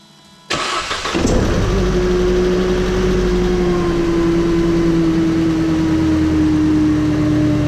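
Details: Mercedes SLK 200 Kompressor (R171): the engine cranks, catches and settles into a steady run with a rough grinding undertone and faint whine; the source is not pinned down.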